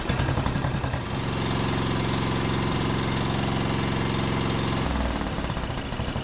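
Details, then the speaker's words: John Deere D110 riding mower after tightening spark plug gapped to 0.030 in and richening carburetor about a quarter turn: small single-cylinder settles into a steady, even putter with no stumbling; running smoothly, not yet tested under load. "That sounds much better. They have those little safety caps that don't allow you to adjust the carburetor very far, but that probably made another quarter turn to richen the mixture, and that seems to sound a whole lot better than it was."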